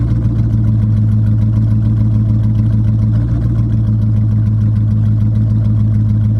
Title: C5 Corvette Rough Idle